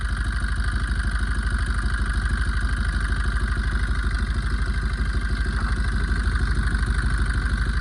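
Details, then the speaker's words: Maruti Swift engine at low idle after coolant ran dry and it overheated and boiled: steady hum with a regular stumbling pulse as one cylinder drops out, misfire from a blown head gasket; coolant tank blackened by exhaust smoke. "Friends என்ஜினோட slow ஸ்பீட்லயே வந்து பாருங்க ஒரு என்ஜினோட humming sound வருது ஒரு missing ஆகுது."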